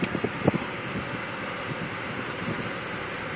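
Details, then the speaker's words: 1982 Jaguar XJ6 Series 3 heater in auto mode: steady rush of fan air with a faint hum of the synchronous motor, no rattle or scrape. Normal heater blower operation. "Yeah, she works. Auto. You can hear the little synchronous motor working."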